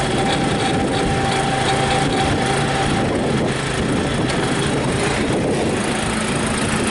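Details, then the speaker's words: John Deere 56 lawn mower with newly fitted single-cylinder engine, primed, kill wire reconnected, throttle marked backwards: catches easily, steady even run with no misses, knocks or hunting; starts up real nice, normal running. "Yeah, it does. That's good. Starts up real nice."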